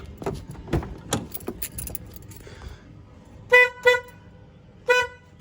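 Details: 2007 Mazda 3 horn after the shorted, corroded horn wire south of the fuse-box relay was replaced with new 14-gauge wire and an external relay extension. Three clean, strong toots with a steady clear tone and no crackle or dropout; normal horn operation.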